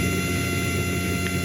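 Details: ISA sound card output shows a steady mains hum with constant hiss underneath, present whether the card is powered or not, at about -47 on the meter; poorly grounded output, ground loop hum and hiss.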